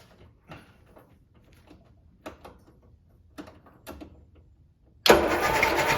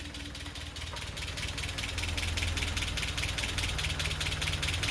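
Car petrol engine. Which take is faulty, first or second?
second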